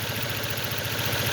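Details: 2006 Ford Focus, hard starting and shaking badly at idle despite a new spark plug cable and coil pack. The idle is uneven with dropped beats. The misfire is traced to the wiring into the coil pack connector.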